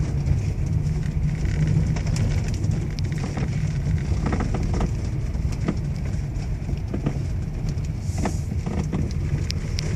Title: Toyota Alphard V3.5 steering knocking noise problem